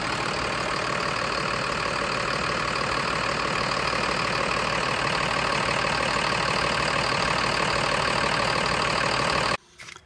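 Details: Bus diesel idling after air-brake leaks were fixed: a steady, even tick-over of about three pulses a second, with no hiss or stumble; rapid compressor cycling appears resolved.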